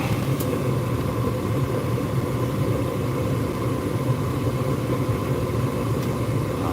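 Even, steady low rumble of burner and blower with no surging, rattles or squeals; the furnace is running normally on heat.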